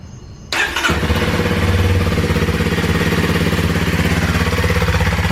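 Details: 2021 Kawasaki KLX230 after replacing dead battery, started on first try: even single-cylinder thump about 3.5 beats a second, charging 14.2 V so stator is good; runs clean and healthy.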